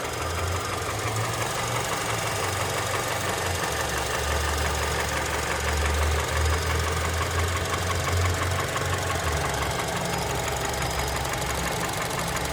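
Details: Honda Element K24 at idle: rough, uneven knocking about three beats per second over steady low rumble; engine knock of unknown cause.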